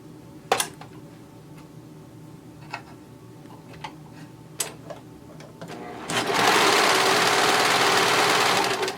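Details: Brother 1034D serger tested on fabric after first replacement of its knives and cleaning, settings at 4: after a few handling clicks it spins up to a fast, even whirr with no knocking or catching, running sweetly.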